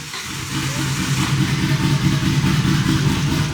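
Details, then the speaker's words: RB26-swapped Mustang on first start-up with lumpy, uneven idle loping about three times a second; misfiring, with 60 lb fuel pressure and flex-fuel sensor reading zero ethanol though E85 believed filled. "yeah yeah she's definitely miss firing there"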